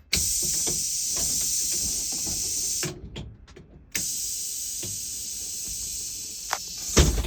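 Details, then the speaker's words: 2008 International IC RE300 rear-engine school bus, air-operated door just repaired: sharp air hiss as the door cycles, a short pause, then a long hiss and thump; pneumatic door working normally. "So, just a full demonstration of the door operating. That's how it works."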